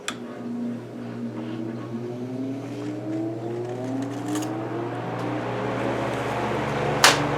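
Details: 1940 GE Vortalex 16-inch antique fan after oil wick replacement, started to high speed: smooth motor hum rising steadily in pitch as blades spin up, no scraping or rattle; healthy, no difference expected since old oil was still good.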